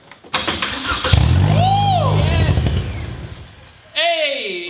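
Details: Chevy Sonic Turbo stunt car, 26 miles on odometer, sat eight years, old fuel mixed with new 93; starter churns steadily a couple of seconds but never catches; clogged injectors blocking fuel delivery.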